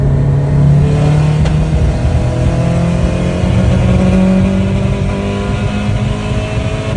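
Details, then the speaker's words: 500 hp Subaru STI pulling hard: note stumbles and goes ragged mid-pull, a misfire under load with flashing check engine light, code P0302 cylinder 2 misfire. "that was a check engine light whoa pretty bad right she started breaking up right in the middle of a pole"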